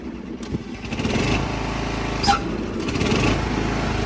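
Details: Classic Husqvarna lawn tractor bought at auction, started by jumper wire while fixing an electrical fault: the small single-cylinder engine picks up smoothly when throttle opens and holds a steady, even beat with no misses; healthy.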